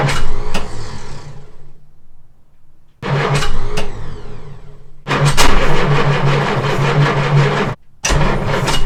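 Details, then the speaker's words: Jaguar Mk2 (budget build), first start in years after radiator and heater pipes fitted, automatic enrichment device removed and no choke: several bursts of cranking with stumbling catches, then it fires and holds a lumpy run; hard starting without choke, manual choke conversion recommended. "So yeah, she's going to be a little tricky to start. Just as an aside, this is the fella you want. Manual choke conversion."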